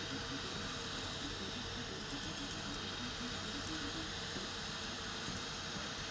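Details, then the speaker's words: Rat Rig V-Core 3 3D printer running at 125% speed, mic moved close: stepper hum with sharp clicks each time the head changes direction; owner suspects worn idler bearings on all idlers. "don't know if you can hear that yeah it clicks when it changes direction i think it's happening on all the idlers to be honest i think my bearings are well dead"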